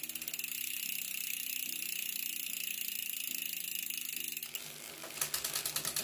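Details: Rear derailleur after adjustment: light even freewheel ticking with clean pitch steps and no scraping between changes, smooth rear gear shifting.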